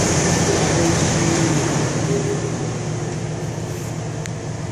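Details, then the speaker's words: 2001 Chevrolet C1500 4.3L V6 after cylinder head service and reassembly for a bent-exhaust-valve misfire, not fully warmed up, good oil pressure, no engine light: even, steady hum with no skips; smooth idle, misfire fixed. "well got it done purring like a kitten no skipping no engine light no nothing she's done running good too i mean it's smooth"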